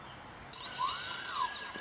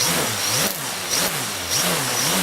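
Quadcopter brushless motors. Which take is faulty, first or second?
second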